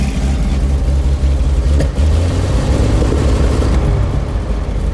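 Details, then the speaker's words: 97-year-old Buick Standard Six after an exhaust fix, muffler refitted: steady, deep, even exhaust note that picks up smoothly when revved, nothing choked or uneven. Sounds much better; carburetor still needs adjusting. Normal running. "Let's go ahead and start the car now. Sounds much better."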